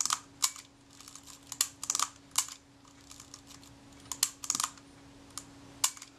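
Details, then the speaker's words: Kodak Retina IIIC camera, shutter release worked: sharp small clicks, with an early click before the shutter fires as the film advance releases prematurely; the screw atop the film release shaft sits too high. "now i'm checking the action of the shutter release and i can tell it's releasing the film release the film advance before we get to the point where the shutter fires you hear the click that's the film advance freed up and then the shutter goes"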